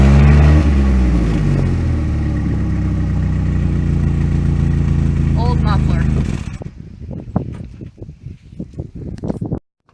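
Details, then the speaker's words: 1998 Pontiac Sunfire with worn factory muffler due for replacement with an OEM Walker unit: deep, loud, booming tailpipe drone at steady idle, far too coarse for stock; worn-out muffler. "so muffler needs to be replaced and I think we are just doing an OEM up worth today"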